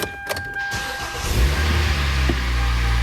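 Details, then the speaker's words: 2012 Kia Soul 2.0L, no crank no start with P0705 after another shop replaced starter and relay; found the transmission range sensor unplugged and plugged it back in: warning chime, short crank, fires and holds an even idle, fixed. "Boom. it's fixed. Wow, I can't believe it. It was just unplugged."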